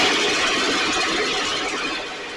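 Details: STIHL 6R 450 two-stroke backpack blower after cleaning and repair (idle had fluctuated and could not be adjusted): steady high-pitched roar holding even revs, tapering slightly at the end, running much better though still loading up slightly, with carbon buildup suspected.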